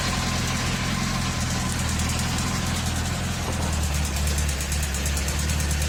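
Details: 2004 Honda CBR1000RR engine, hot, below 3000 rpm: deep uneven burble at idle with a faint fast tick on top; owner suspects manifold gasket, valves or connecting rod, cause unclear.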